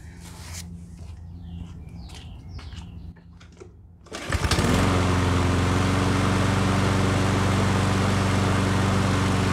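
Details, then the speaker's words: Yardworks self-propelled push mower said to be seized, after a no-cost fix and self-propel cable adjustment, may smoke after lying on its side: fires and settles into a steady, even drone with no rattle or knock; normal running. "I had to adjust the cable here for the self-propelled system once I did that and the self-propel worked perfectly"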